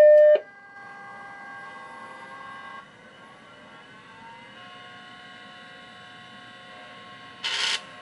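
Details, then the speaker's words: Mac 512k with GCC HyperDrive 10 MFM internal hard drive, booting from the hard drive with no floppy, on a supplementary power supply; short start tone then thin whining tones climbing and shifting at spin-up, sounding rough and unhealthy, though it booted. "that hard drive didn't make a very good sound there we are the machine booted right up no glitching"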